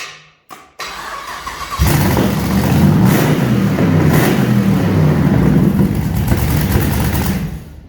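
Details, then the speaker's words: 6L LS V8 (LS2 or L77) in Mini Mog, first start in shed: cranks and catches, then loud, raw, steady running with even revving on open headers, shaking the shed; strong and healthy. "Yeah, I love how the shed shakes. That's the best bit. And it shakes the whole shed, so it's certainly loud enough."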